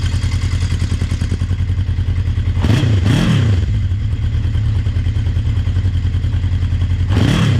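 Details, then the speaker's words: 1980 Honda CB650C four-cylinder, just after a cold start on choke with the original OEM 4-into-4 exhaust refitted: steady low burble with two quick throttle blips that rise and fall cleanly. Smooth idle with prompt return. "yeah sounds good that's awesome listen to that oh yeah keep running good"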